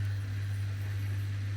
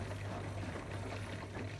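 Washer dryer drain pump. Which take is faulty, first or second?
first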